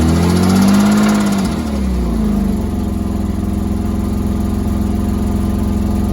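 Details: 3.2L Porsche Boxster engine revs briefly, then idles with a steady regular knock about four a second; after pulling the engine, metal was found to have gone through the oil pump.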